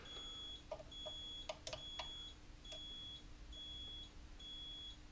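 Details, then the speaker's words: Mobility scooter after a throttle pot replacement, lever pulled back while the pot is being adjusted: regular high-pitched reversing beeps about one per second over a quiet hum. The beeper works, but still needs more adjustment. "there's a audible reversing tool and it beats come on quicker so I still need to adjust a little bit more"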